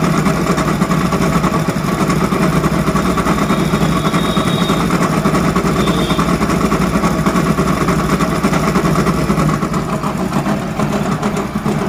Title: Hero honda bike crank bearing noise problem ! बाईक मै क्रैंक बेरिंग की अवाज कैसी होती है #hellogagan